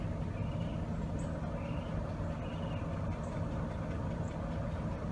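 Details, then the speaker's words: 1998 Chevy Cavalier running rough, stalling and lacking power with check engine light on: uneven idle rumble where disabling injector 4 changes nothing, pointing to a bad injector or a loose injector connection. "No change. I'm going to turn it back on. No change. We got a bad injector."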